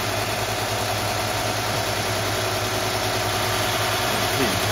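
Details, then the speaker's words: Mercedes W124/W126 KE-Jetronic engine holding a fast steady idle around 1,500 rpm with no hunting; idle control valve giving too much air is the likely culprit, fixed by adjusting it, checking about 4.5 V at its plug. "today's episode is about the high idle about 1,500 RPM and there's a lot of folks that have that issue on the uh uh kronic engines and it doesn't matter if you have the six or eight cylinders"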